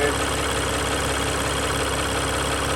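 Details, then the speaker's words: 2021 Jeep Gladiator 3.0 EcoDiesel, 5,000 miles, first startup after a fuel filter change: steady idle with a faint uneven shudder as the high-pressure pump purges air; should smooth out if O-rings seal. "The high pressure pump right there is processing fuel at the same time trying to remove air from the system. Now it will take a little bit for it to smooth out"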